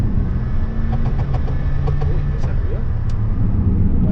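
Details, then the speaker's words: 1992 SEAT Toledo GT while driving: light, quick clack-clack ticks over a low engine rumble from a cracked exhaust pipe, alongside rattles from ill-fitting interior plastics. "ten hałas to pęknięta rura wydechowa. Są to bardzo łatwe problemy do rozwiązania, za bardzo małe pieniądze, i że pozostawiłby nam praktycznie idealny samochód."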